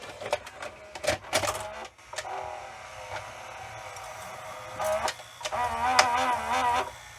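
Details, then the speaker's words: Sanyo VHR-H519 VHS VCR loading a tape: small compact motor whirs in short buzzy bursts with light mechanical clicks as the tape threads; normal loading mechanism, similar to Video8 camcorder loading motors. "I had a mid90s Sano that had very similar sounding loading motor it sounds a lot like the um video8 camcorders that had the little compact noisy Motors"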